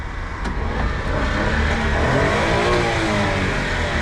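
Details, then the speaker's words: Honda Street kei van: pitch climbs cleanly through a couple of quick revs and drops back smoothly with no knocks or rattles; normal revving. "sounds good"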